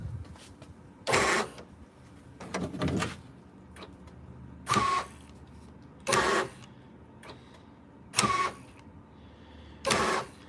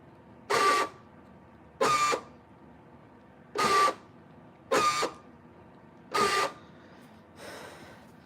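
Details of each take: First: 1998–2003 Dodge Durango after installing a new door lock actuator: six short, crisp, even whirring buzzes about every 1.5–2 seconds, replacing old squealing units; normal door lock actuator operation. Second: 1998–2003 Dodge Durango door lock actuators cycled with the key before replacement: five short harsh grinding buzzes with thin squeal, one per cycle; three non-driver doors' actuators worn out, driver's door still fine; worn door lock actuators.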